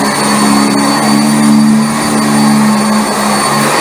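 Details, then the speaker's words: Upright vacuum, belt just refitted on the brush spindle, on carpet: steady high motor whine with a slight pitch shift partway as the brush roll drops onto the carpet; brush height set right, running normally. "But you're going to hear the pitch change, and that's how you adjust these vacuums."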